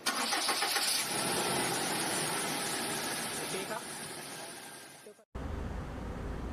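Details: Toyota Vigo 2.7 petrol, 2TR engine, after replacing the starter motor: brisk, even cranking that catches quickly and settles to a steady idle; new starter works and engine starts fine.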